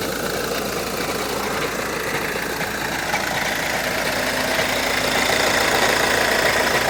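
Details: 2013 VW Jetta TDI diesel cold start, hood open: idle clatter with a light, fairly even rattle about three per second; owner listening for possible dual-mass flywheel problems, unconfirmed, as the car drives, shifts and accelerates smoothly.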